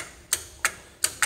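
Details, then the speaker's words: Second starter bench-tested with a starter button, battery at 12.8 V: five sharp dry solenoid clicks with no motor spin, so no crank. The solenoid is likely corroded or rusted inside; starter judged bad. "that would be the reason for our no start, no crank. It's the solenoid in there. You can hear it clicking over."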